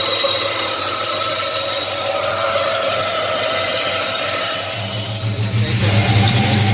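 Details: Box Chevy with 5.3 engine at idle: a light rattling tick keeping an even beat under the exhaust hum suggests an internal engine knock, cause unknown.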